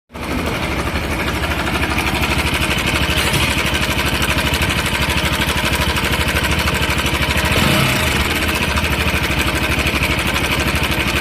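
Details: Bajaj Pulsar RS200 motorcycle: steady idle with regular pulsing clatter of about three beats a second over engine note; engine noise, source unclear.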